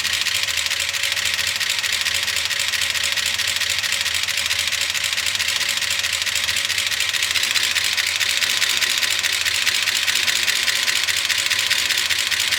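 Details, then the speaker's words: 1976 Chevy C30 dually crew cab with Gen 6 454 big block, started at low idle after an oiling fix attempt: loud, dry clatter from the top end as no oil reaches it; lifter noise from oil starvation. "I'm just looking to see if I see oil start coming up. You can hear how clacky everything is."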